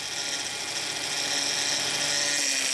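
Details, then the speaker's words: 2004 Hyundai Sonata 2.7 after power steering pump replacement: a thin high whine over a low hum as the wheel is turned, caused by air still in the system; bled by turning lock to lock. "yeah go the other way i mean the noise you hear is because there's still a little bit of air in the uh"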